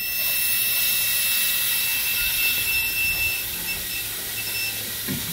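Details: Boost cut pressure switch for a turbo LS-swapped Ford Ranger, bench tested with compressor air and a buzzer. A thin buzzer tone over loud air hiss drops out partway; the switch opens intermittently well below 15 psi, so a new switch was ordered.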